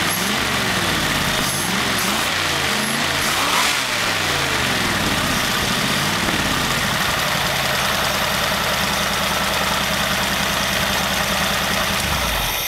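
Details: Studebaker engine on a new Evans intake manifold, warm restart after first run at 18–19 inHg vacuum, good battery; catches quickly, rises through a couple of blips, then settles into a steady even idle; normal warm restart.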